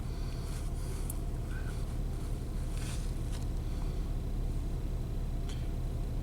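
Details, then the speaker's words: 1997 Nissan Maxima V6, warm, idling: low uneven lumpy beat, otherwise running fine. The EGR sensor reading shows EGR flow at idle, so the EGR valve is stuck open; the car also has a long crank time. "feel that rough idle and the car runs fine otherwise so there's no reason to suspect you know a short injector or misfire problems"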